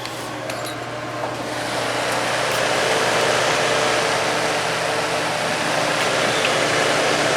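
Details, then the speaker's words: Dr Infrared DR988 5600W portable heater, two years old, after replacing the rear motor piece holding the fan armature: even, steady whir with no more loud metal-to-metal screeching; the fan motor runs normally. "This is how it sounds now. It sounds like it should now. It's not making that loud metal to metal screeching sound."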